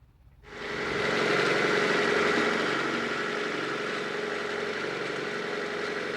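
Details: Honda CR-V (RD1) after replacing a burst small upper HVAC heater hose and refilling with water: engine catches and settles into a steady, even idle, no knocks or misses; owner checking for bubbling from a possibly blown head gasket.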